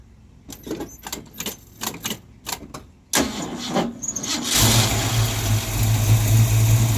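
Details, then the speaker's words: Ford Mustang after the alternator harness was replaced with basic wiring and the battery and grounds redone: slow separate cranking beats for about three seconds, a stumble, then it catches into a low steady idle; no charging. Hard starting. "Nope. No better really. It sounds really good though."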